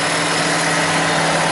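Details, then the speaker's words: Honda Civic after exhaust repair, exhaust slightly capped for back pressure to check for leaks: brief steady idle with an even note, no puffing, ticking or hissing from joints; exhaust tight and leak-free. "everything seems good and what we did seen any"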